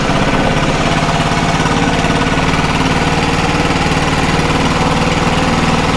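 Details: BR800 blower after a carb adjustment (high screw backed out) and clearing of fuel flooding: steady, fast buzz holding an even beat with no stumbling or surging. Running clean and normal.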